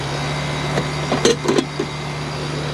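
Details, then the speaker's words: 20-year-old Rheem 2.5-ton condenser paired with a mismatched 1.5-ton air handler, after a contactor replacement; capacitor and pressures good, first startup of season at 64°F with little load. Steady compressor hum and fan rush, no buzz or rattle. Normal running. "20-year-old unit."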